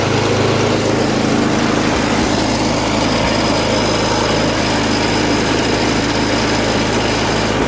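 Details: MTD snowblower sat about a year, revived with fresh gas plus cleaner, primed, choked, throttle about half: loud steady even single-cylinder drone without hunting or misfires; runs well, auger works.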